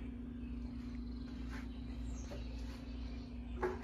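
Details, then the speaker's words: 52" Harbor Breeze Lakeside II ceiling fan before restoration, runs only on low at all three speeds, downdraft: steady low electrical hum in quiet room while fan crawls slowly; bad, cracked, partly melted capacitor. "it has a bad capacitor it's it's very bad it has couple of cracks in it and it got melted it got melted a little bit yeah and it makes a humming noise makes a the humming noise is a little bit loud"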